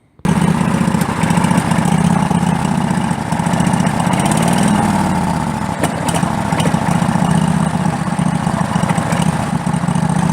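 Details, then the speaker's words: Craftsman LTX1000 lawn tractor, small single-cylinder: runs steadily but speed swells and sags when revved, a surge it never used to have. Owner suspects the fuel system, fuel filter or low fuel in the tank. "So as you can hear, there's a bit of a surge in there when you go to rev it. This engine never used to do that, so I'm thinking it's something in the fuel system."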